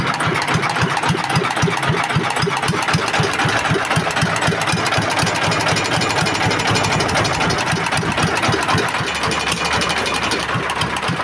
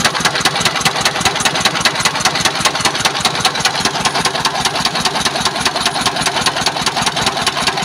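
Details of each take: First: S1125 single-cylinder diesel after repairing a knock caused by running out of oil, oil indicator good, exhaust and air filter not yet fitted: even steady beat about four firings a second, knocking gone; normal healthy idle. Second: S1125 diesel at idle after running out of oil, refilled and put back to work: harsh, sharp knocks about 150 per minute with each stroke, rough sound; a knock inside the engine.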